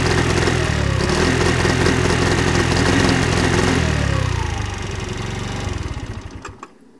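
The small two-stroke revs and sputters down, and a few sharp pops near the end point to exhaust backfire.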